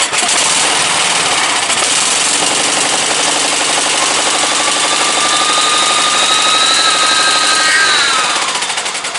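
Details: Briggs & Stratton 17.5 OHV single-cylinder lawnmower engine, muffler fitted, bottle-fed fuel, on a substitute carburetor; loud unsteady beat about four per second, speed wavering then sagging; runs poorly, carburetor judged junk, other carburetor to be refitted.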